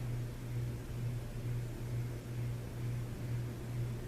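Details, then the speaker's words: 1993 Hampton Bay Landmark first-generation ceiling fan on a garage test mount, low speed: steady low hum with slight wobble a couple of times a second; hummed even without the light kit, cause unknown; motor hum. "You'll be able to hear that hum. It's not because of the glow, because it hummed without the light kit in Habitat."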